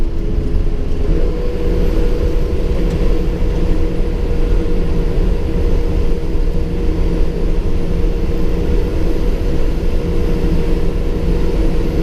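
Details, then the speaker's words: 2006 Ford E450 bus, 6.0 L engine, driving: steady road drone, then a whir cuts in and holds; computer-controlled electric fan clutch engaging as cooling demands, normal for these engines. "And that whirring cutting in and out is the electric clutch on the 6-liter fan. They've got a computer-controlled fan clutch, so that's why that cuts in and out."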